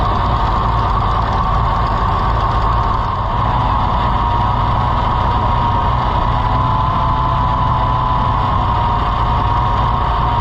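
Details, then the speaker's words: IH Farmall 560 tractor that the owner re-timed, then flooded, just restarted: loud, rough idle with an uneven beat and occasional stumbles; possible exhaust-side crack noted; cause unclear; idle misfire. "It just seems like it's got a miss, and I don't know."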